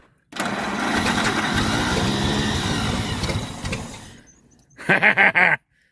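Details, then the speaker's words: 1927 Pirsch fire truck engine, first start since about 1994: it catches and runs raggedly for about four seconds, then dies. The carburetor float is hung up and fuel is pouring out of the carburetor. "first time in 30 years almost floats hung up though see if I can't oh that gas is just pouring out of that carburetor all right I guess we gotta shut that gas off looks like the carburetor's got to come off again"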